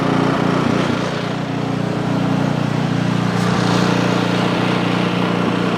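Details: Ariens Path Pro 208cc four-stroke single-stage snow blower, just started, before warm-up and surge fix; steady, even single-cylinder drone with no hunting or surging, governor holding revs smoothly. Normal steady running.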